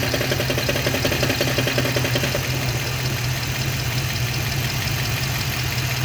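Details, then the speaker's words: Car at idle, recently repaired for a mass air flow sensor O-ring leak, camera under the hood: a light, regular ticking knock is heard with the clutch engaged and stops when the clutch pedal is pressed. A clutch-side fault is suspected, not confirmed. "when it was clinking it's when i when the clutch is just on it's it's engaged it's not engaged i'm not stepping on the pedal when it's not clunking or when it's not ticking or knocking is when i press on the clutch"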